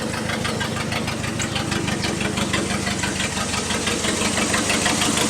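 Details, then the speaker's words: 1988 Dodge Dakota 2.2 liter four-cylinder, 5-speed: loud raw idle with sharp puffing ticks in step with firing and harsh rasp; exhaust leak after the muffler came loose while driving. "that's camera here it's right there's about where the exhaust leak is"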